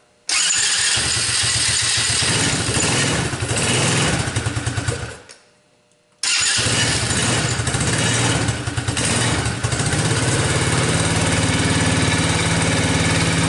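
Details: Tao Motors mini quad that wouldn't start due to dead battery, started on jump pack with choke, cold winter evening; catches at once, dies briefly, fires again and settles to steady even putter; starts and idles normally.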